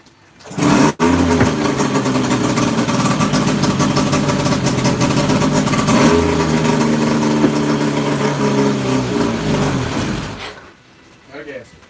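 Engine catches after a brief crank and settles into a steady, even running note with light revving; it sounds healthy.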